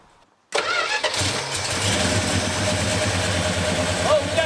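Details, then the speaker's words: 1973 Plymouth Scamp V8 on its first start since 2004, after sitting almost 20 years, with borrowed parts: the starter catches quickly and the engine settles into a steady, even idle with no misses. Normal first start. "that was amazing honestly yeah you hit the key fired right up"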